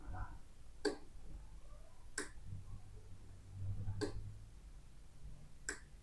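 Four crisp, clean relay clicks about one and a half seconds apart over a quiet room, with no buzz or chatter, so switching is normal.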